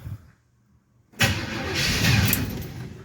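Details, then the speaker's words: First start attempt in months after a Quadrajet carburetor rebuild, on a weak battery: the starter cranks hard but the engine churns without catching. The fuel pump still needs to prime; crank, no start. "we're gonna have to get the fuel pump pumped up"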